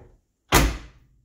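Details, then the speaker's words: 1970s–80s Ford/Mercury/Lincoln door after door striker bolt replacement: single crisp, solid thunk as the door shuts and latches cleanly on first try, no clicking. "Can't beat it. Pops right open. This is the best one so far. I love it. That's the sound of a Ford Mercury Lincoln door right there, folks."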